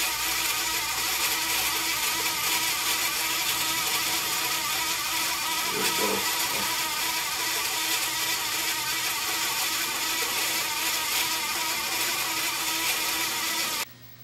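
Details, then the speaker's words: 37-year-old Sony SL8600 Betamax during playback: steady high-pitched squeal over the whirring tape transport. The capstan midway pulley was ruled out; the dry idler pulleys are suspected and need lubrication. "Now, before I go much further, I want to try and find out what's making that noise and lubricate whatever is squawking before it burns out completely. I have a feeling it might be the midway pulley here for the capston shaft."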